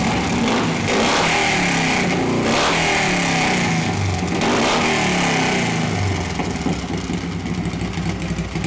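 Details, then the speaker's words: 1983 Harley FXRT 80ci shovelhead after top-end rebuild (evo-style cam, KB forged pistons, bored .010 over, machined heads, Kibblewhite valves): loud, lumpy V-twin beat that blips and drops back cleanly, no pinging or knocking; runs healthy. "She's loud. Loud, here Fred, how loud's loud?"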